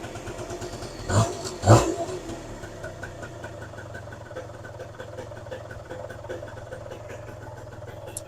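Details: Suzuki LT80 80cc two-stroke quad, first running after fuel filter work, engine cold: steady, even low buzz after a couple of blips, idle holds without stumbling, running fine.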